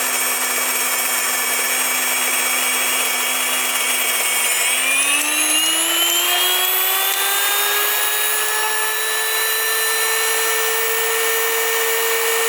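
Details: WonderMill electric grain mill on its first flour milling: loud jet-like whine that climbs in pitch after a few seconds, then holds steady. A high squeal signals the hopper is empty. Normal grinding.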